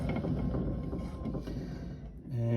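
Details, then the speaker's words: Western Tornado/Fisher Polycaster spreader spinner shaft turned by hand after greasing, having sat all summer: rough, gritty low growl from a dry, contaminated bearing, causing CP fault code; bearings replaced. "now she kind of she turns but you can hear how growly that bearing is"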